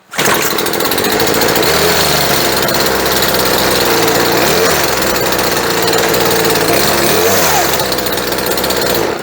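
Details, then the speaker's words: Chainsaw that sat 4 or 5 years, restored with new fuel lines, a replacement carburetor and a spark plug, now running: a high, even buzzing rev with a steady drone and no misses or stumbles, running clean and ready to work. "And there we have it, one chainsaw, ready to work."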